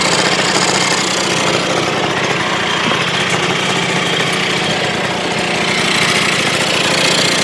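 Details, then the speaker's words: 1980 Suzuki FZ50 two-stroke moped after fixing fuel leaks (seal, fuel shutoff, carburetor screws torqued): buzzy crisp popping holds steady idle without stumbling or misfires; normal idle. "See how easy it starts though?"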